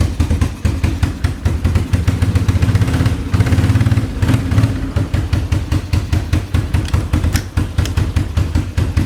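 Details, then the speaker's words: Small engine in vehicle stuck in reverse: revs unevenly with ragged firing; owner suspects air-fuel mixture screw needs adjustment. Rough running. "Sounds like we might need to uh adjust the uh air fuel mixture screw, but you have to have this uh 90°"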